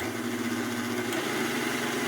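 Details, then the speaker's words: Hobart-made KitchenAid stand mixer at low speed: steady hum with a faint rough rumble that fades as speed increases; suspected bad bearing bracket or loose nuts inside, not confirmed. "so here's the sound i was talking about here you hear that rumbling sound i don't know how you couldn't hear it but take a listen it'll start to go away as we increase speeds"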